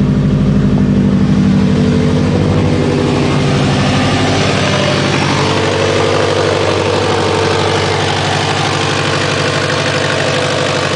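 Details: Subaru WRX, loud steady idle with a rapid puffing tick about twice a second over the low rumble; awful exhaust leak.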